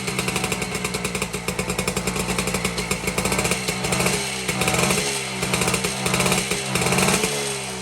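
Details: 1952 BSA D1 Bantam single-cylinder two-stroke in a test rig, first start in over two years after tickling the carburetor; quick even crackle, steady pulses, a few throttle blips: normal running.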